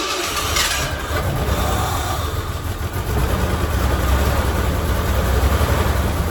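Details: 1987 Ford Bronco II, abandoned 15 years, after a failed ignition coil was replaced and a ground wire refitted; cranks briefly, catches quickly and settles into a steady, even idle with no misses.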